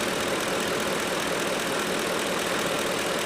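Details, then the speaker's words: 2010 Ford F150 5.4L, P0457 EVAP gross leak, capless fuel inlet message; purge solenoid stuck again when commanded 50%, freed with a hit, now ticking rapidly about four per second over steady idle before vacuum hose is refitted. "Let me give it a hit so I can plug that vacuum hose back in. There she goes. Now she's pumping away."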